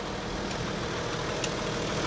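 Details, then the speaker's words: Hyundai Grandeur/Kia Opirus idle after fan belt rerouted straight past the auto tensioner: steady even idle, no chirp, slap or rattle; tensioner vibrates only slightly versus before; normal idle. "It vibrates a little, but it's not as bad as before, right? The auto tensioner moves a little without vibrating"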